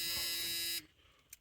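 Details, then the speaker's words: 1984 Ford E150 camper van with a swapped-in battery and a two-barrel carburetor: a steady high-pitched buzz for under a second, then a clean cutoff. The key-in-ignition warning buzzer is working. "the key buzzer so uh let's go get a spark tester and pull one of these plug wires I'm going to see if I have spark"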